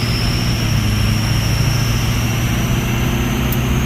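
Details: Ford 6.0 Powerstroke diesel with a bigger stage 1.5 63.5 mm turbo replacing stock: a clear, high, steady whistle climbing slightly over the deep rumble. A healthy turbo spooling.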